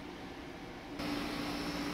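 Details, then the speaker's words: Haier portable AC after replacing the bad run capacitor (new 30 µF, 370 V) that caused buzzing and no cooling: blower hiss, then a steady low hum as the compressor starts and runs normally, blowing cold air. "but the ac is blowing cold air again you can hear the compressor running"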